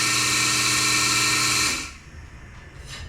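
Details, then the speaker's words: Melasty single-cow milking machine vacuum pump after fluid got in and the carbon vanes and muffler were cleaned: steady, even whir with a smooth high hiss, no rattles, then it spins down, holding pressure. Normal running. "now that sounds way better holding pressure just fine I'm not hearing any sort of flinking or anything"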